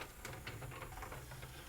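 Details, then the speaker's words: 1992 Pioneer PD-101 thrift-store CD player that wasn't reading discs and is missing its pickup lens. The tray drives out with a short, soft motor whir and light gear clicks, with no grinding or slipping. Normal tray eject. "No problem with the eject."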